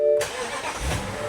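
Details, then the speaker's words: Salt-water-flooded Corvette sitting six months, started with a booster pack and now starting on its own: engine catches cleanly after brief crank and settles into a smooth even idle, runs great; transmission problem remains. "You listen to this thing, it runs great. Yeah. Seriously, this car runs great."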